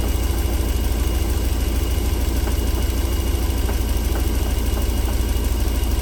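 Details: 1994 Alfa Romeo 3.0 24v V6, smooth when cold but warm after about four minutes; deep steady idle drone with faint light taps about three a second: engine knock returning when warm, cause unknown.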